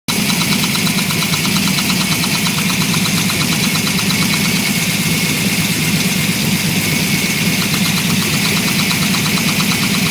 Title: Knocking Noise Broadband